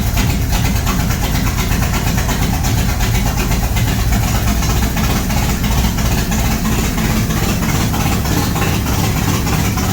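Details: G-body Monte Carlo SS V8, first start after an under-hood fire, with parts replaced a week later; deep, even rumble with a steady lopey beat and no knocks or ticks; healthy idle.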